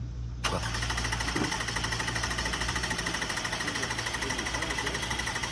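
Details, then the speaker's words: 2004 Lexus ES 330 on a jump box cranks steadily at about three turns a second but never fires; it reportedly ran minutes earlier, and it doesn't sound like it's getting gas, perhaps out of fuel. "Doesn't sound like she's getting gas, maybe out of gas, whatever it is."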